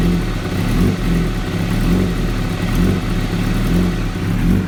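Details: 2016 Kawasaki ZX-10R: idle pulses unevenly, swelling and dipping about once a second rather than holding steady; very rough, lumpy idle, cause unknown.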